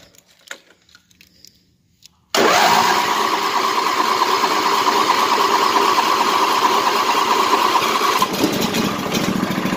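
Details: 1998 Craftsman LT1000 lawn tractor with a new battery, not run for a few days, its carburetor leaking fuel: quiet at first, then it catches instantly and settles into a steady, even idle with no misses. Normal start.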